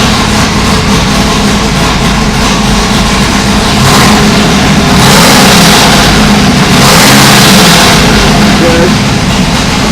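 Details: Old V8 on dyno after valve job, seals and guides, started before a loaded sweep: loud deep steady even rumble with a couple of smooth blips; crisp, healthy running.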